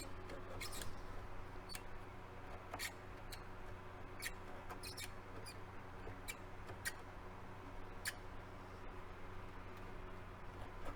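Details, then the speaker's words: Curtis Mathes AUP-8300E turntable with faulty auto-return, opened from the bottom: a faint motor hum with short, irregular high chirps about every second. Intermittent squeak, source not yet found. "i need to see what's making that noise let's see where's that squeak noise it's got a hard id where that noise is coming from i don't see anything rubbing"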